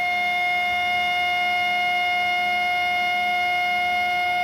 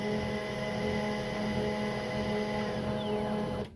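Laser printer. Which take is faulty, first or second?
first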